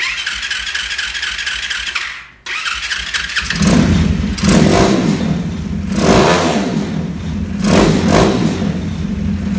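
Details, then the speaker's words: 2020 Orion RXB 150 pit bike runs way better after chasing the 10x1 spark plug threads and restoring compression; catches after a short pause, then runs steadily with lively rev swells and firm firing. Still starts hard; pilot jet swapped between 40 and 42. "Runs way better. That's awesome. So it starts up."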